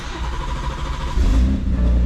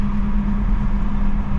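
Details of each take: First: Gen 1 B58 BMW 340 with big single turbo on stock motor: after a low-pressure fuel pump swap it still starts weird, catching into a low, uneven, rough idle; the already-upgraded high-pressure fuel pump had failed. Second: Gen 1 B58 turbo six on a big single turbo, stock motor, new exhaust, idling after wastegates were taken apart and refitted so they stay closed: low, steady, even rumble with no flutter, hiss or rattle, way quieter, sounds bone stock.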